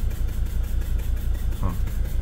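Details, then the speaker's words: T1N Sprinter diesel with a leaking injector, at operating temperature (180°F) after running near 2800 rpm: idle drops to a low, lumpy, stumbling beat and barely holds. "uh it drops the idle stays there oh barely idles that's okay did you hear"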